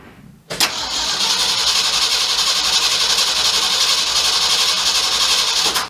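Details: 1967 Mercury F-250 drag truck V8, distributor reset with plug wires moved one over: brief crank, catches and runs hard and ragged about five seconds before cutting; timing still being adjusted.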